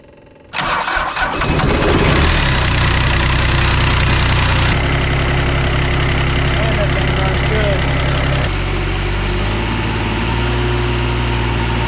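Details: Ransomes Jaguar 4000 diesel commercial mower, 1980s-90s, sat 20-25 years in junkyard, hydraulics rebuilt with new O-rings and seals: after glow plug preheat, short crank, fires within a second, settles to steady even low idle clatter; runs healthy.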